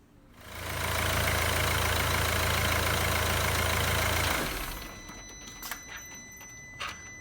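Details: 2012 Mercedes C220 CDI, OM651 diesel, after water pump replacement for a coolant leak and worn bearing: steady, even idle for a few seconds, then shuts off; normal.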